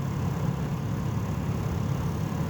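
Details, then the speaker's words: 2001 Toyota Echo heater blower after replacing faulty blower resistor (fan had worked only on high): soft, steady low whir with no rattle on settings 1, 2 and 3; repair fixed it. "If you can hear that, it is now operating on 1, 2, and 3."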